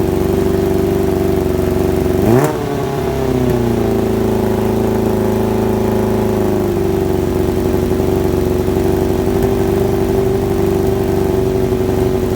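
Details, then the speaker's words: Kawasaki ZX-7R after carb cleaning for an idle problem: crisp throttle blip with a quick, clean return to steady idle; more responsive than before, idle adjustment working again, old fuel debris in the bowls suspected. "like I say it fired up pretty pretty well um and it's more responsive than it was before"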